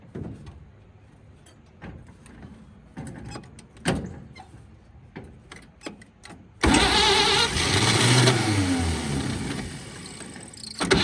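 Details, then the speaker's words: 1946 Chevy boom truck engine, sat 35 years, previously water-filled and locked up, cranks on a pump-sprayer fuel feed with ether; quiet clicks, then rough cranking with a brief stumble of firing that dies; won't keep running. "She just don't want to run just yet."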